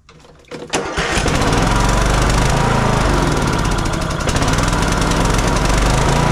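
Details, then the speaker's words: Kohler Courage 19 on a Troy-Bilt Bronco 42" riding mower with an aftermarket carburetor: engine catches and runs slightly lumpy on choke, but dies completely with choke off; air-fuel mixture problem suspected, not confirmed. "decent when I take the choke all the way off it dies out completely"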